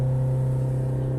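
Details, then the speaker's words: Warm (90°C) Peugeot 5008 diesel holding a steady even drone near 4000 rpm with no pedal input during forced DPF regeneration for a failing emissions system, normal, typically lasting about a quarter hour. "Donc là, il reste à presque 4000 tours. Et en général, il va rester comme ça pratiquement un bon quart d'heure."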